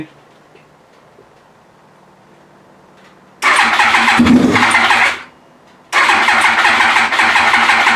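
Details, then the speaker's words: Yamaha R1 first start attempt after reassembly with fuel pump, tank, fresh fuel and wiring harness refitted: two bursts of fast, even starter whirring with a near-catch, but engine never picks up and runs. "I want to get this thing running let's hear it almost there thank you almost biting"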